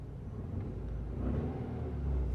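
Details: Ford Mondeo Mk3 misfiring on cylinders 1 and 4, pulling away in reverse with slightly seized brakes: a low, uneven rumble that surges and sags near stalling. The misfire is attributed to low engine compression.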